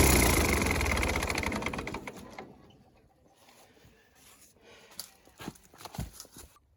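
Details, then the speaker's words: Ford 8N tractor after replacing the exhaust manifold gasket, test run: even chuffing beat about 200 per minute with no sharp ticking from the manifold, then the engine winds down; exhaust sounds sealed, good oil pressure when warm. "I took him for a test run, and it sounds a lot better. None of that crack, crack, crack, crack."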